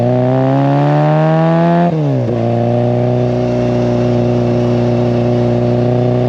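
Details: Classic Mini, 1330cc A-series engine, carbs balanced, timing about 12–15° BTDC: clean rising rev dropping back smoothly to steady even idle, no misses or clatter; well tuned and healthy.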